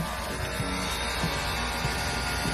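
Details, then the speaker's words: BYD Atto 2 EV, an AC humming noise from online owner complaints: steady low hum with a few faint higher tones, holding even; AC hum, cause unknown. "Vì vậy, vấn đề đầu tiên, vấn đề rattle. Vâng, điều này có chứa một số khác như AC ù"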